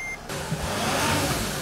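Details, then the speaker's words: 2008 Dodge Sprinter diesel after glow plug replacement for codes P2133, P2134, P2138: chime, then the engine catches and settles into a steady, even idle with no misfire; check engine light off. Normal diesel idle. "all right guys as you can hear the engine is running and the check engine light is no longer remaining on on the dash"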